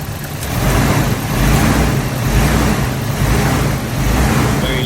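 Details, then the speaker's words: Nissan Silvia S13 CA18DET four-cylinder revving with a lumpy, rattly, uneven beat that stumbles and shakes instead of climbing smoothly: a misfire. "so obviously you can see the engine is a bit rattly there shake it when i rev it up"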